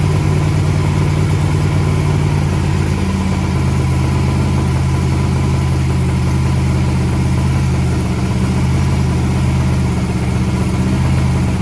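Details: Turbo methanol hot rod engine with a 36-1 crank trigger on its first start, open pipes: loud, lumpy idle with a throttle blip near three seconds, firing even with no knocks or misses; acceleration circuit judged on point, oil pressure at idle thought a little low.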